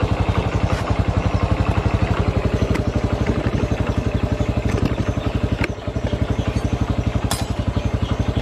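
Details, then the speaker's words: Honda Revo FI with a power-loss complaint, after replacing the clutch shoes: a steady even thump at about four beats a second pulling over a ramp under light throttle, no slip or rattle. The clutch now takes up cleanly. "Tapi tarikannya di situ walah ringan sekali. Enggak ada. Alah, enggak perlu kita tarik gas tinggi-tinggi lah."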